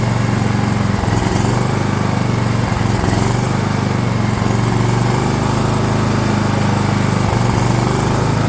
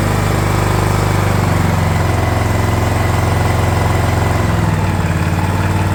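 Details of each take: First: DR all-terrain mower, Kawasaki FV420V engine after years sitting, fuel lines leaking: rough, uneven running with irregular dips and no steady idle; owner thinks it's flooding, later finds badly dirty carb bowl. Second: DR all-terrain mower, Kawasaki FV420V engine revived after sitting for years: after oil change, carb cleaning and new air filter, single thumps a bit unevenly at fast idle while the carb bowl fills, then settles smooth; runs even better now.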